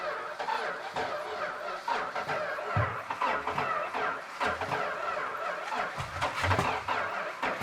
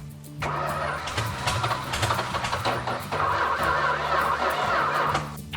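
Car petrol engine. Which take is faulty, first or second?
first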